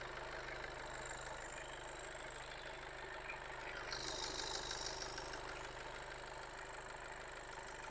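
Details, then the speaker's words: 2016 Skoda Fabia just after timing belt and water pump replacement and coolant top-up: quiet, even idle with a soft steady tick, no rattle, knock or belt whine; normal idle. "And let's start it up. Right, the engine started, running."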